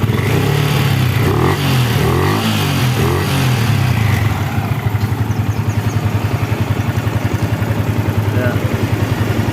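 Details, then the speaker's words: Yamaha New Vixion (NVL) single after reassembly, revved then idling; steady even beat about 3.5 per second, clatter gone, running smooth. "Oke ini sudah di Rakit semua ya Ini sayapnya belum dipasang kita akan tes suaranya teman-teman ini sudah halus ya teman-teman kita gas"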